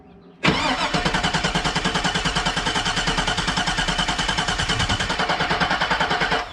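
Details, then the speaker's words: 2002 Cadillac Escalade sitting 5 years, with fuel added: steady starter churning about three beats a second for six seconds, oil pressure reading, no firing; crank no start, broken wire near the crank sensor noted. "nope not yet but it is reading oil pressure while the engine is cranking which is good"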